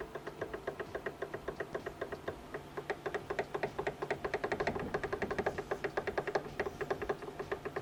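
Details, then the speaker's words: Honda Civic Ferio (ES1) old steering rack worked by hand before replacement with a used rack (claimed 60,000 km). Sharp regular clunks from shaft play at the plastic reduction gear; steering rack knock. "ходу очень сильно стучит"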